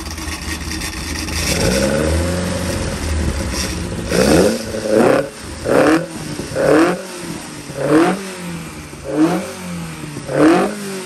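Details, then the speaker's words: 1200 engine on dyno, quick off-load run (microphone unplugged for loud noise): crisp repeated blips, revs rising and falling cleanly about once a second, no knocks or rattles; rods and dynamics right, engine revs freely and sounds healthy. "might sound really weird to say this but because I know the Dynamics in this engine are right as in the way the rods working and everything it really does feel happy at"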